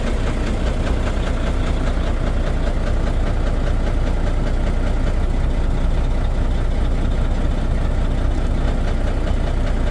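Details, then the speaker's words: Volvo VNL D13 diesel truck idling with a loud, regular knock two or three times a second, plus low power and unstable running; knock stops when one injector is cut, pointing to a broken fuel injector. "So that only leads us to one problem, and that is a broken injector. And of course, it might be a broken injector because we have a noise, we have low power, and the engine doesn't run stable."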